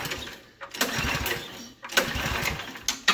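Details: Snowblower with stiff choke suggesting gummy carburetor, primed and on full choke: three quick pull-start bursts, each a brief whirring rasp dying without catching; cranks but won't fire.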